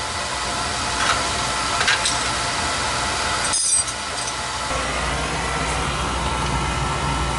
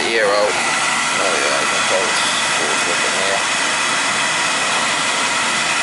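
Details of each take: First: Oil boiler burner after a service for running out of oil (bleeding), draft clear over the fire: a steady, even roar with a stable flame and no pulsing; running normally. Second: Oil boiler burner that possibly ran out of oil, run with a jumper on the control's FF terminals so it won't trip while air is bled from the line: a steady roar with a hissy top end.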